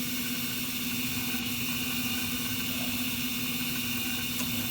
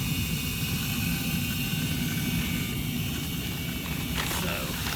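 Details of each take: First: Carrier gas furnace after igniter replacement and flame sensor cleaning: a steady droning inducer hum with a rough, hissy rasp over it. The worn induced draft motor assembly is judged near the end of its life. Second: Carrier gas furnace after igniter replacement and flame sensor cleaning: a steady rush of air over a low hum from the induced draft blower, operating normally, though the draft inducer assembly is suspected to be near its end.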